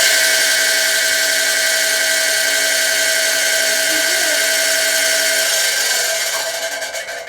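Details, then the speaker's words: Newly assembled Central Machinery 12 in x 36 in wood lathe on its first run: a steady high-pitched motor whine with a rough, gritty rasp throughout. It sounds like internal grinding; source not yet found. "sounds like she's grinding something on the inside which i don't know if it's suppos"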